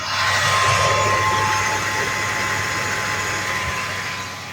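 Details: 1991 Chevrolet S10 revived after a fuel-delivery problem (no fuel reaching the bottle on key cycle, dry-rotted rubber hose noted): engine runs on its own with a steady hum and faint high whine, speed easing slightly.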